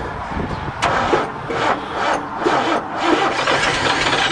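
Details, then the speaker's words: Old dump truck with a big 427 V8, not run for a while, fuel pump previously repaired: uneven starter churning with chuffs that never catch, cranks but will not start; owner suspects it was pumped too much, possibly flooded, or no fuel. "I think you pumped it a little too hard it's had too much"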